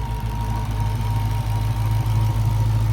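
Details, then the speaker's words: Hellcat Redeye supercharged V8 just started after fuel rail with fuel pressure sensor fitted: deep even idle, regular firing pulses, no stumble or stall, no engine light; normal idle. "Starts up. No more engine light on. Seems like it's running better."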